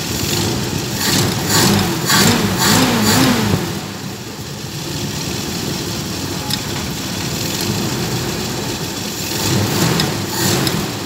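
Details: Carbureted vehicle that was hard starting and misfiring, after the carburetor was cleaned and a gasket kit fitted: the engine fires, blips through a few revs, then settles to a fairly even idle with no obvious misfire. The carburetor is running right.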